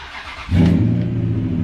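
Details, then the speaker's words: 2003 Ram after PCM replacement and clearing codes, first start: a brief crank, then it catches at once into a strong, even low rumble with no misses or knocks. "man that thing fires right up dude listen to it thing still sounds like a beast"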